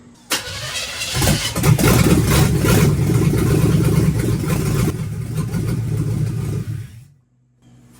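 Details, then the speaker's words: Budget 283 small-block Chevy V8 swapped into a 1985 Oldsmobile Cutlass, first start in the car, no cooling system yet, sounds worse than it did with headers: a short crank, then an even, steady low burble, a normal start and idle. "I do want to fire it up confirm that it runs in the car and we're going to make sure that it actually has gears"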